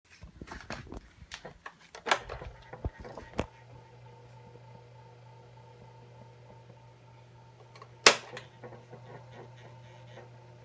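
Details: 3D LF 40WO electric fan runs with a steady low buzz plus irregular rattles and sharp clicks.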